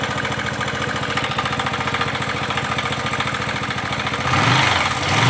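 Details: Bajaj Pulsar 135 motorcycle idling cold: uneven ticking about three or four per second, then brief revs; odd noise occurs only with engine cold, cause unknown.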